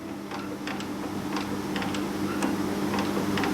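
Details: Mill knocks while cutting the square on a steel drive shaft, with sharp uneven ticks about three a second over the cutter hum and chatter; it's running slow in low range, with backlash noted in high range. The cutter tips are wearing fast, and the cause is not yet pinned down.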